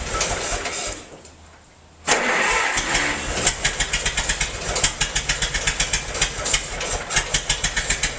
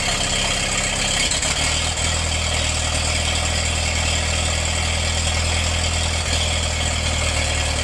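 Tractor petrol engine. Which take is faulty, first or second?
first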